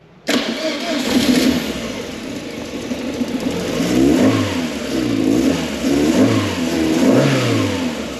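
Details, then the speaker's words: Ford Fiesta MK1 Zetec project after engine transplant, second start attempt after swapping the coil wires and connecting the intake breather hose: catches quickly, smooth even idle with light throttle blips; runs beautifully, far quieter than the old engine. "That ran beautifully. What a difference. Wow."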